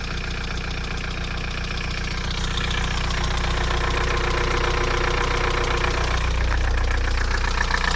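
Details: VW TDI 90hp diesel idling with a crisp, even tick about two or three per second over the clatter; began the day after a 600 km trip and has lasted 5 months. Lifters and injectors replaced, oil pressure OK, different oils tried; owner suspects wrist pin play.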